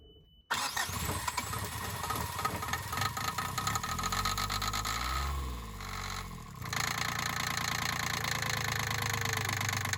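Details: Sailboat engine's first start after a part replacement, before leaving Salcombe for Falmouth: short crank catches at once, then a steady, even idle with a brief dip settling back; starts and runs normally.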